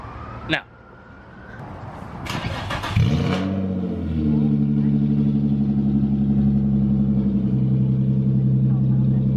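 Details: Car engine before the fix, with the Y-pipe disconnected: one bolt missing and the other bolt's nut lost. It cranks and starts into a loud, raspy exhaust rumble that swells harshly with each rev, an exhaust leak.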